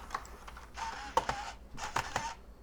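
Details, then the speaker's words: G4 laptop, DVD inserted at power-on: short whirring bursts with sharp clicks and pauses as the optical drive spins up and seeks repeatedly but never reads; nothing on screen. "Can hear it trying to read. But still nothing on screen. That's a little concerning."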